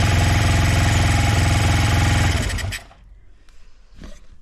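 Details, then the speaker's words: Honda CB125 Twin with a new cylinder barrel, started in chilly weather: lumpy low chugging that dies out. One side stays cold despite good spark, so it is possibly firing on one cylinder. One carb bowl was found without fuel; new carb jets are on order. "Yeah, the side's cold. It's hard to tell if it's even firing. I think it might just be firing on one cylinder still."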